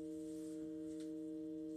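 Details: Behringer X32 Rack mixer, intermittent fault: a loud, dead-steady hum of several fixed pitches appears on the main left/right outputs, ramps up to max the meters for about 30 seconds, then fades away; the manufacturer later repaired the unit.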